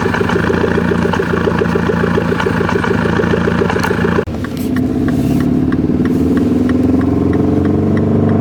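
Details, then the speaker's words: Mini Cooper S R56 under load: uneven, stumbling pulses with no power gain; scanner reported a cylinder 2 misfire, traced to a faulty ignition coil pack. "on our scanner it said cylinder 2 missfire so these things here these are your coil pack"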